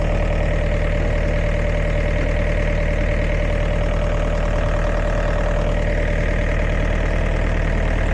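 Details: Diesel air compressor after repair of a burnt 50A fuse from a touching wire: steady chug about 167 beats a minute with an even, unbroken drone; running smoothly after the repair.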